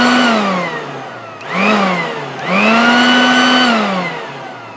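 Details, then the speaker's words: Salvaged electric garden blower run via an appliance tester; motor whine climbs and falls as switched on and off, smooth steady pitch, no rattles or grinding, putting out plenty of air: normal running. "like that actually sounds pretty good and it's blowing the cobwebs on the far side of the shed so it's putting out a fair bit of air so that will work fine as a blower"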